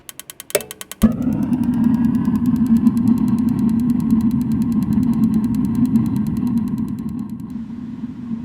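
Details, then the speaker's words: RV direct-ignition water heater that had no spark, after replacing the bad control board: rapid igniter clicking, then a whoomp as the burner lights into a steady roar; normal ignition. "so the board was bad I just put a new one in and plugged it in and I went around and flipped the switch and it"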